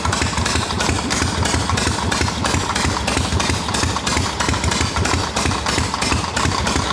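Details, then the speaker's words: Harley XLCH chopper V-twin, hot, after loosening an overtightened part that caused noise: steady, even loping idle about three pulses a second, no ticking or rattle; normal idle. "Everything's good and hot now. I just had that too tight. No more noise."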